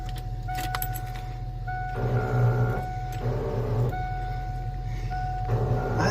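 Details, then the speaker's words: Abandoned 1988 Ford F350 dually, old starter, after fuel pump work: short bursts of high free-spinning whine, engine not turning; starter bendix not engaging; starter looks rusty, later new battery. "यह वास्तव में ब्लैंडेक्स में से एक नहीं है जिसे अंदर नहीं खींचा जा सकता है और बस स्वतंत्र रूप से घूम रहा है"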